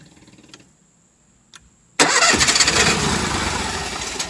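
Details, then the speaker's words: Onan RV generator that had cranked but wouldn't start and threw a code (electrical or oil suspected, but neither), reinstalled after a $65 repair: quiet, then it catches and holds a steady even drone with no knock or grinding; running normally. "all right it's back in i fixed the problem that i had a quote for fifteen hundred dollars from the got it all put together so here we go"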